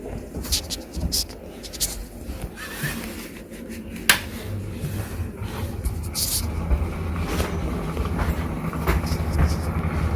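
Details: Clipsal Airflow CE250 250mm kitchen exhaust fan in an old house, very used and dusty: low rough droning hum with scattered clicks and rattles from very bad, worn motor bearings.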